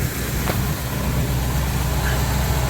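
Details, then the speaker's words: 1978 Jeep Cherokee V8 at idle: even low rumble with no knocks, ticks or misses, no leaks underneath; sounds perfectly normal. "No leaks. That was already there, but no leaks underneath. Sounds perfectly normal."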